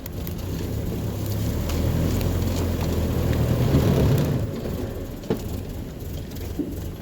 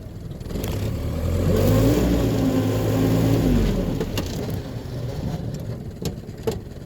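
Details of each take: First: Truck on first test drive after swapping in a used suffix A transmission: low, even drive rumble with tappets audible and no whine, howl or grinding; gearbox runs quiet, normal. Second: Truck just fitted with a used suffix A transmission, test-driving in four-wheel drive: rising then falling whine over the engine; owner calls it tire spin noise and suspects the pilot bearing/bushing; four-wheel drive seems to work.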